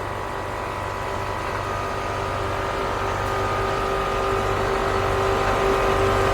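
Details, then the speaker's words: Mercedes GL450 after a leaking air spring was fixed, engine idling: a steady compressor hum grows louder as the vehicle rises to normal ride height. Normal air suspension compressor. "I don't know if you guys will be able to hear it but I can hear the air system suspension pump"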